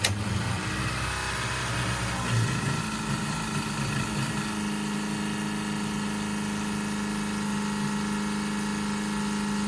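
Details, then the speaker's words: 1968 Plymouth Barracuda drag car, Summit black electric fuel pump switched on from inside with no return line yet: steady, labored high whine; pump strained and surged when racing in heat. A return line is planned. "It's not very happy. That should change when we get a return line coming back."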